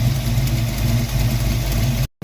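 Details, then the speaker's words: 1982 Ford Mustang GT project car, after a year of fixes: starts on one click and settles into a steady, even low idle with no knocks or stumbles, running and idling properly for the first time. "After a lot of heartache and a lot of hassle, I think we have it actually running and idling properly for the first time."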